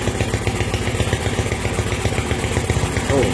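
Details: Honda MegaPro single, modified to CB style, with a charging fault (battery kept draining, ran stuttering) caused by a wrong ground, idling while the regulator/rectifier (kiprok) is tested for 12 V output: even, steady low putter with regular beat, no knocks or rattles.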